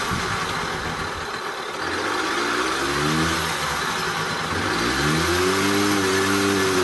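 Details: Honda Express moped, small two-stroke, started on the first or second crank after revival: revs with a loose metallic rattle over the exhaust beat, rising with speed, like a can of ball bearings; badly worn internals suspected.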